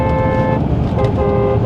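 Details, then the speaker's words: 2010 BMW 550i Gran Turismo AWD twin-turbo V8, salvage car, driving above 60 mph: two short honks, thin and reedy with no punch over road noise; the horn sounds weak. "Okay, you know, the horn doesn't sound the greatest, but that's all right."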